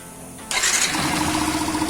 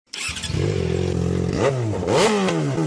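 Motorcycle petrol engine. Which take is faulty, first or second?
second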